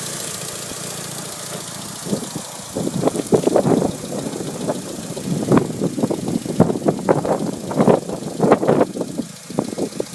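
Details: Mitsubishi Evo 5 petrol engine at idle, running 15W-40 oil: sharp ticking in uneven clusters over a steady low hum, very loud when the engine is cold.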